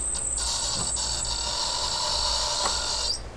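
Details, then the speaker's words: Roughly 10 kW helium compressor for an adiabatic demagnetization refrigerator at first power-up: harsh high-pitched whine with a rough rasping edge that stops when switched off; its cooling water pump is running dry with no water. "I don't like that sound so let's see what's going on um so first off we need yeah there it's there's it's dry I think there's no water water in the um getting through here"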